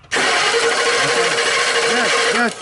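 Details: 2003 Ford Explorer crank no-start: starter cranks steadily for over two seconds without catching despite 60 psi fuel pressure, good compression, spark and injector pulse; cause was a shorted sensor killing the 5 V reference.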